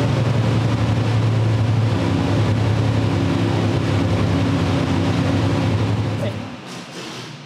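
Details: Old-school small block Chevy with mechanical 8-stack individual throttle injection in a Fiat drag car: loping low idle, uneven beat as cylinders drop out; owner suspects throttle blades mismatched in their bores, plugs flooding on one side.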